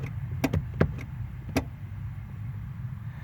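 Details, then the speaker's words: Brake pedal on a model using a rubber bushing in the pedal rod hole: several sharp little clicks over a low hum as the brake light switch releases normally; a missing bushing keeps brake lights stuck on. "on this particular model it's got a hole in the pedal rod with a rubber bushing that goes in it and you can hear it releasing the switch you can hear it clicking"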